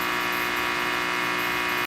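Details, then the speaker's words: Tube amplifier with 6L6s, snubber capacitors removed from across the rectifier diodes: steady harsh buzz with a thin high edge that cuts off abruptly; rectifier diode switching noise, reduced dramatically by reattaching the two capacitors. "Look at that. That is a lot of noise. Two 50 cent parts will dramatically reduce that. Those two parts are the capacitors."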